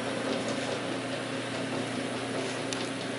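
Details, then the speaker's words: Very old 8-inch belt-driven barrel fan: steady motor hum with soft regular thump from a flat spot on the belt, which fades as the belt warms; slightly worn blower bearings may lightly rattle. "so of course this belt developed kind of a bent spot where it sits on the pulley for a while so like most of these fans I guess after a while the that rhythmatic thumping kind of goes away once the belt warms"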